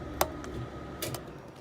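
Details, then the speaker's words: Jayco Jay Series popup camper LP furnace turned off at thermostat: single sharp click as contacts open, fan briefly stops then restarts to purge remaining heat, which is normal. "you'll hear it clip. Now, did you hear the fan shortly turn off? And then it came back on. That is normal."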